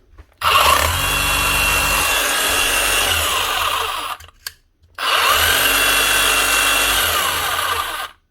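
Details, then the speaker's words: Hitachi DH40MEY rotary hammer after strip, clean and rebuild to fix the chisel lock and an oil leak: two even bursts of fast hammering with a steady high buzz and clean start and stop; it runs right and locks. "Sounds good, looks good. Does she lock? That's the main thing."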